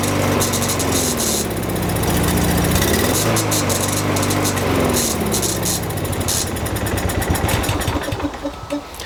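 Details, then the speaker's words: Lawnmower small single-cylinder engine runs only on quick-start spray in the carburetor: fires, runs ragged a few seconds, sputters and dies; diagnosed as a carburetor issue, to be removed and cleaned. "Now if I try to restart it, it probably won't go. So it does start, but it dies right away. So this is definitely a carb issue here."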